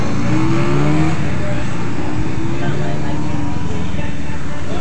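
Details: Suzuki Satria FU single-cylinder after repairing a flooding, dripping carburettor by lapping the float needle seat: pulls cleanly, revving up and down smoothly with a steady low beat and no misfire or bogging. Normal running.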